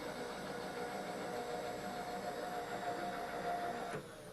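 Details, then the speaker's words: Power-feed motor in the MIT machine shop, continuously variable speed control, winding down smoothly as the feed is stopped; steady whine dropping in pitch, a normal spin-down. "You can hear the motor in the power feed winding down. Do that again. You can hear it spinning down there."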